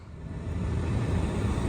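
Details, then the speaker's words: 2013 Mercedes C300 sedan with no heater fan, after blower motor replacement: smooth, steady fan rush on all speeds, no rubbing, ticking or squeal; blower works. "boom we got heat you can hear it works on all the speeds nice"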